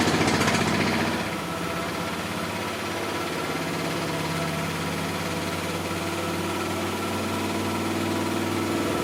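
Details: Miele Softtronic W6544 washing machine, drum loose and noisy (bearing damage questioned): rhythmic knock about three to four times a second over motor hum; drum loose from a broken drum spider (Trommelkreuz).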